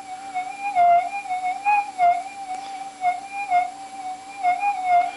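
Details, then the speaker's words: Minelab GPX4000 metal detector after ground balance modification, on Sensitive Extra with settings maxed, indoors with some acoustic feedback: steady whistling threshold with slight wobble each sweep as strong banded ironstone is nulled; Fast Track would null it quicker. "just about gone there you go if I hit the um Fast Track button on the detector would have got th rid of those a lot quicker"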